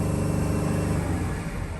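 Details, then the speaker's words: Diesel van warming up for a forced DPF regeneration, hesitating and jerky with rpm jumping to 3,000: steady thin high whistle over the idle rumble; whistle at idle, suspected turbo or flex pipe leak, not confirmed. "that whistling right there that's not good it's definitely uh coming from the turbo but that same sound can be coming from the flex pipe uh just it's a metal type of sound"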